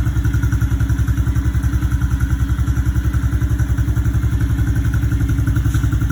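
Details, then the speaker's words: Honda CRF110 single-cylinder idling after air box screen removal and RAD intake tube install; steady, even thump about three and a half beats a second, no knocks or misses; runs slightly different, healthy idle. "now without this should be better obviously there'll be nothing in the way and uh we'll go ahead and start it up for you real quick see if you'll notice a difference"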